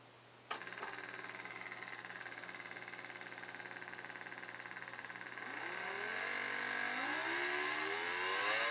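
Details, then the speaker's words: Permanent-magnet DC brush motor run from an AC line through a MOSFET split-wave speed controller/charger circuit: steady buzzing drone that climbs in pitch as the motor speeds up, with some resonance from the motor; cause unclear. "You can hear there's a bit of a resonance coming from the motor."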